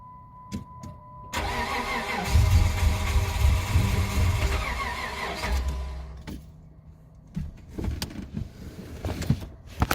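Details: 2009 Dodge Charger SXT: steady starter cranking at about four turns a second, engine never catches or fires. Problem began suddenly, no codes stored, and a new fuel pump didn't fix it; crank-no-start fault.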